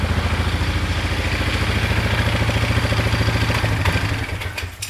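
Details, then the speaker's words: 2001 Polaris Scrambler 500 2x4 idling after no-spark repair: steady metallic clatter about three a second on the idle beat, fading at shutdown; loose exhaust part rattling, spring fix planned. "Yeah, it's that thing rattling. Okay. Which I got a spring to fix it, but I don't want to mess with that right now."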